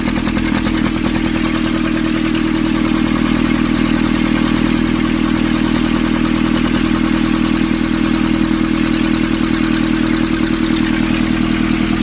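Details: Nissan Urvan ZD30 diesel, after a no-start repair in which a soot-clogged part was cleaned and refitted: even, steady clatter of about 200 beats a minute, no misses or knocks; idling cleanly.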